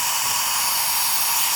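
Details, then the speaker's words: Used GM LS-family L33 engine, rocker arms off, valve springs not yet changed, leakdown test: loud steady air hiss pouring past valves, about 80% leakdown, whole bank similar; severe cylinder leakage. "all right well we have 80% weak down you can see you can hear how much ears come out"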